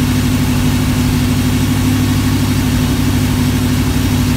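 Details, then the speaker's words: V8 on a run stand testing Flowmaster 60 series mufflers with block hugger headers: deep, even burble at steady idle with firm low pulses, no misses or rattles, not loud, quieter than previous mufflers; normal exhaust note. "well I like that sound I like the other sound the sound of the bigger ones a little better but that's okay that I'll I'll accept that one it's not loud"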